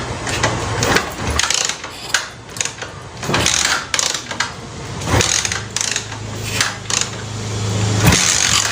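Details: Cafe racer motorcycle that has fuel and spark but won't run: repeated kick-start strokes spin the engine but never catch. No start; carburetor suspected.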